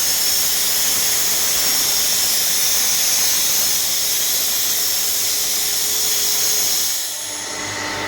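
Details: Renner RS Top 7.5 kW screw air compressor (about 1 m³/min), built 2013, just under 5,000 working hours, with separator and oil and air filters replaced: steady airy hiss with constant motor hum, no knocking, rattling or rising squeal, running normally.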